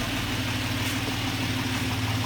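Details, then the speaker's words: Suzuki Grand Vitara H25A engine, repaired after high oil consumption and engine noises, idling after about 15 minutes of running: smooth and even, with no knocks, ticks or rattles, correct cold idle speed, and no fault codes. "ну что ж мы дали поработать двигатель буквально 15 минут как вы слышите в лифт и работает без посторонних шумов без канале обороты выбирается холодную"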